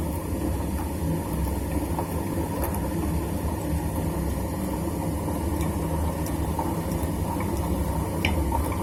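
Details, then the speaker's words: Super General SGW16100N washing machine, about 2 years old, motor turning but drum not: loud rough low helicopter-like roar with churning rumble; drum bearing collapsed, balls fallen out, bearing leakage, play in the drum. "इसका तो बेरिंग पूरा निकल गया है। हाँ, जो बेरिंग में होता है ना ऐसा, जो बॉल्स वो सब निकल गया है, तो दिखाई दे रहा है पूरा।"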